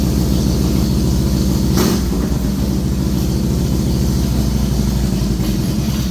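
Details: A 2007 Harley Softail with a Screamin' Eagle 110 idles after a new compensator was installed, after filling up and with the clutch inspection plate back on. A steady, loping V-twin idle with even firing and no knocks or rattles; it runs fine.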